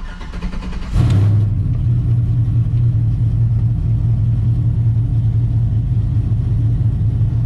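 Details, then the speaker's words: Silverado with swapped L92 (LS3) from a 2008 Escalade, T56 Magnum and Texas Speed LS3 Stage 2 cam, some base tuning done; starts at once into a deep, rhythmically loping idle, no knocks, healthy. "I'm sure everyone's in status here what this ls3 stage two cam sounds like so we'll go ahead fire it up here I have done a little bass tuning on this so we'll see what she does here"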